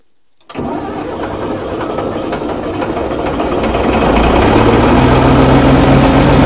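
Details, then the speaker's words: Old Fiat-Allis bulldozer, about D6 size, six-cylinder diesel, sitting for years, cranked at full throttle with one of six injector lines cracked. It catches after a brief crank into steady diesel clatter at fast idle; a normal, healthy cold start. "start well how's that she's actually running how good is that after all these years of sitting"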